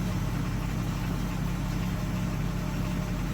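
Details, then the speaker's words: 2015 Ford F350 6.7L Powerstroke diesel, first start after gas was mistakenly put in and the tank and both fuel filters were drained and reprimed: steady low idle with a loose uneven rattle, cause not pinned down, but running. "Oh! Listen to that. Something sounds rattly, but at least it's running."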